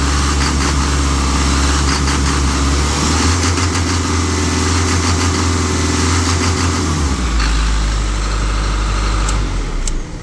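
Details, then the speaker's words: Isuzu NPR diesel, fuel filter unchanged for about 50,000 miles (first said 40,000): idle hunts and sags unevenly, dipping and recovering instead of holding steady, as the engine is starved of fuel through the clogged filter before the filters are replaced. "And this one actually hasn't been changed in 40,000 miles. No, I think 50,000 miles. And you can hear how it's not getting enough fuel."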